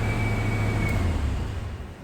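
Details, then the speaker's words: Subaru starting and running on a test after fuel pump work in the shop; a low, even engine rumble holds steady, then winds down smoothly when switched off, nothing rough or uneven; normal running. "She runs. Cool. Good deal."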